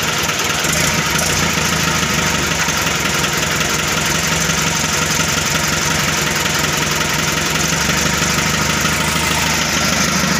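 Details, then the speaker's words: Mitsubishi Colt Diesel FE truck engine (1981, 100 PS) at its first start after a new original block was fitted: a steady, even, smooth idle clatter; only a thin leak at a hose clamp, which needs tightening. "ya suaranya halus itu ada bocor tipisnya magnet tiketnya Kencangkan di bagian klem slang nya"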